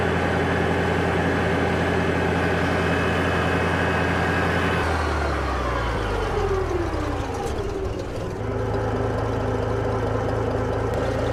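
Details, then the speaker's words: Farmall 706 tractor idling after fixing a botched generator-to-alternator conversion that let the alternator flop and break its charging wire: steady smooth low thrum, no knocks or flapping, brief note drop mid-clip; alternator now stable; normal idle. "Hell yeah, look how stable that is. That is awesome. Excellent. Before that thing would just flop around."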